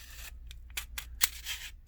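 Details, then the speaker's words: Reel-to-reel tape reel adapter, unrestored, before cleaning: short dry scratchy rasps and crackles each time the lock is turned, gritty drag from sand and dust inside the mechanism. "that it sounds quite awful. Sounds like there is dust and sand and God knows what."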